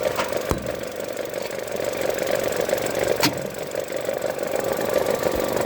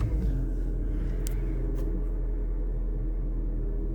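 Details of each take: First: Vauxhall diesel with 96,000 miles, low fuel and flat battery, on a drive: sharp, uneven ticking over the idle, two or three a second; the familiar injector cracking of these engines, no chain rattle. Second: That starts up and sounds all right. Only 54,000 miles on it. Idle seems to be okay.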